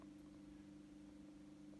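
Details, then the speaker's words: Bosch WFF2000 washing machine in the rinse stage: steady, unchanging electric hum from the drain pump with no water flow or gurgle; failed drain pump not draining, leaving water inside and a three-flash error; pump replaced. "It's humming. It's gotten as far as rinsing. It's in a rinse. And the noise appears to be coming from the pump. So maybe it is a pump fault."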